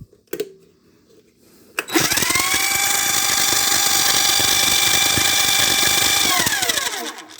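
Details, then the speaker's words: Banyan Exports 7x14 500 W 3/4 hp mini lathe, new: motor spins up to a steady high whine with rough gritty chatter as the plastic power feed gear slips and grinds, so the power feed won't positively engage. "This gear right here is slipping."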